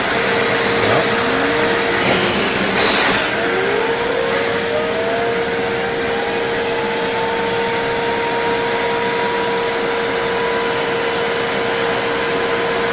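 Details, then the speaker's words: Riccar 8850 motor removed from the machine after repacking the front and rear bearings (previously a suddenly bad bearing), brushes off, run backwards via adapter with RPM slowly ramped; clean whine rises smoothly as it spins up, no grinding or rattle, bearings sound good. "I'm going to run this thing backwards and see how it sounds first and I'm going to slowly ramp up the RPM and if everything sounds good then I'll go ahead and put the polishing stone on"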